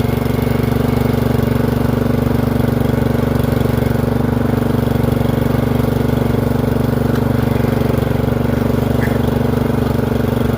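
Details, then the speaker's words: Murray 30-inch riding mower single-cylinder engine after replacing the surging Nikki carburetor with a new aftermarket one, driving: steady, even drone at constant speed with no knocks, misses or surging; blades still not engaging. "You know this is mom, so we're going to try to make sure everything's working like it should on this thing. That sounds really good."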